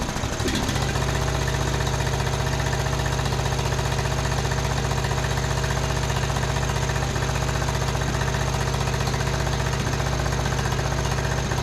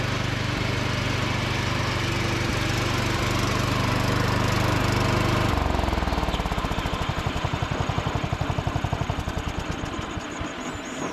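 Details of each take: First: Uneven popping and stumbling at rough idle, about three beats a second, on a John Deere D110 riding mower at first start with jumper pack; misfire, later traced to a loose spark plug and lean carburettor. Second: John Deere D110 riding mower after cleanup, deck engaged while driving: steady even small-engine drone, then smooth wind-down into even firing pulses; runs healthy and strong.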